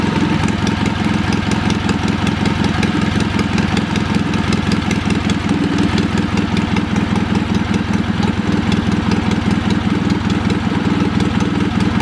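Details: Old Wisconsin THD twin-cylinder engine after freeing a stuck exhaust valve with oil on the stem; loud steady putter on both cylinders, slightly uneven beat; runs pretty good, slightly choppy.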